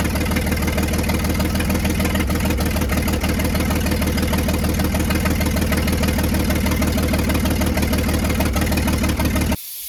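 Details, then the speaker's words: Antique International winch truck, long-sitting, first start on fresh gas via mechanical fuel pump to carburetor: rough, loud idle with sharp puffing about three pulses a second; owner suspects a bad exhaust leak. Air pressure building; shut off to check coolant. "I don't want it to get too hot, but it also sounds like it's got an exhaust leak pretty bad, so I have to look into that."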